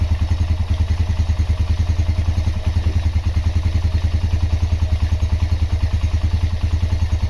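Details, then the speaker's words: Honda GL Max Neotech engine idling after full restoration: even, steady single-cylinder beat of about 200 pulses a minute with no knock or rattle; normal, healthy idle. "Oke, itu dia hasil peremajaan mesin Honda GLmax Neotech. Untuk suara mesin silakan didengar sendiri ya."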